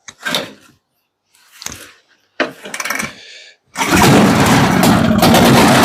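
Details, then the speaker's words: 1969/1970 Boa Ski barn-find snowmobile, sat 30+ years, started with the exhaust just fitted and no proper tank yet. A few cranking pulls, then a loud, steady two-stroke buzz with no stumbling; a runner. "well that's a runner so now I'll stick a tank in it"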